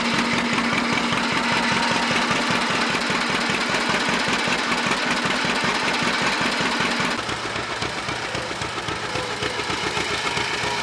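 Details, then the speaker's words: John Deere Model 60 two-cylinder tractor, revived after about 3 years sitting, choke missing its return spring and not hooked up correctly: even, loud popping about two and a half beats per second, steady rhythm; running smoothly, normal running. "the choke on this thing she decided to run pretty nice now this choke it's missing the spring that's supposed to push it open so I don't have the choke exactly hooked up correctly"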